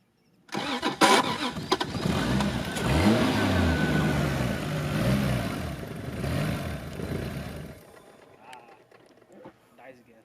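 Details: Toyota Supra MK3 with rebuilt 7M-GTE turbo engine and redone engine harness, first start-up: cranks, catches, runs roughly several seconds, then fades out and dies. Timing was already reset; owner suspects the airflow (mass) sensor.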